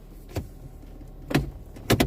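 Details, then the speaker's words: 2006 Mazda3 2.0L, in drive with foot on the brake and given gas: a few sharp clunks over a quiet idle from the front passenger side, traced to a broken engine mount; replacing the mount stopped the noise. "when i put it in drive foot on the on a brake give it gas i hear clunky noise like this"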